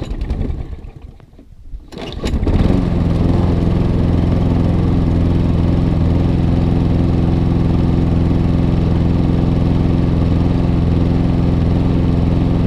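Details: ATCO Admiral pull-start mower bought cheaply, before service (filter looks shocking): catches after about two seconds, then a steady but slightly uneven drone; runs rough, getting new pull cord, air filter and spark plug. Cause suspected, not confirmed.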